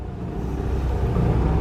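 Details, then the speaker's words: Gas generator in a 2006 Ford E350 Pleasure Way Excel TS Class B RV, 46,702 miles, just after push-button start: steady, low, even drone with no misses or knocks; running smoothly, cold starts take a couple seconds. "Generator is running. All I did was push the button like that. On a cold start, the generator takes a couple seconds, but it fires right up."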